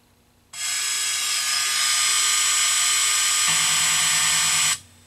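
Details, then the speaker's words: 1982 Bally Midway Tron arcade PCB after replacing a shorted capacitor: harsh, buzzy, fuzzed-out game sound when coined up; owner suspects the audio amplifier chip, piggybacking a new 3900 amp reduces it. "But you'll see I got some nasty sound."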